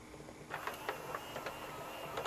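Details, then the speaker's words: CED videodisc player switched to reject: soft whir winding down as the disc spins down, then light clicks and short mechanical whirs as the disc lifts back into the caddy; normal spin-down and eject. "we switch it over to reject you can hear it spin down and now it'll push up the"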